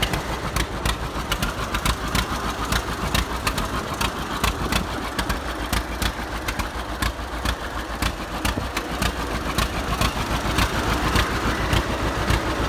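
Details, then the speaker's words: 70-year-old farm tractor, unrun 20–25 years, after cleaned-up carburetor and solid-state ignition replacing points and condenser: steady, slightly uneven low chuffing around 105 beats a minute at idle; healthy, still needs tune-up. "that sounds awesome. Yeah. Still needs a little bit of tune-up and work, but it's nice just to see this thing running."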